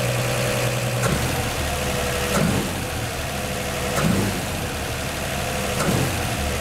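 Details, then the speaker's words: 1949 Chevy 3100 idling after swapping its Pertronix Flamethrower distributor advance springs to high-range copper for earlier mechanical advance; low, steady rumble at a slightly raised idle, seemingly from the added advance, no misses or knocks, seeming to start easier. "first impression seemed like it started easier that's one good thing"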